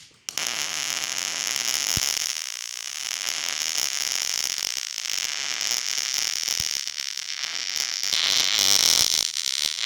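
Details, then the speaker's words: Millermatic 211 MIG welder with ER70S-6 .030 wire, settings made hotter after the wire speed seemed too fast or heat too low: steady crackling hiss like sizzling bacon, a properly set weld. "Now that you know what a good weld is supposed to look like, pay attention to the noise that it is making. If you have to rewind it and listen, listen to what it sounds like. It's supposed to sound like sizzling bacon."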